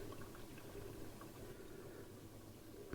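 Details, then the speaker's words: Hotpoint 6834 dishwasher, over 20 years old, after drain-pump fix for not draining, on pre-wash: first of three fills, quiet steady trickle and splash of water topping up the tank, no pump strain or leaks; normal fill. "yeah quite an old design these ones so this is the first fill and it's just topping up inside the tank"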